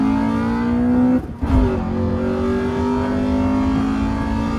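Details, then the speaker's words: Car with the engine note climbing steadily under hard throttle after a shift, revs rising faster than the car pulls: the clutch is slipping, not grabbing. "Man, I wish that clutch was grabbing."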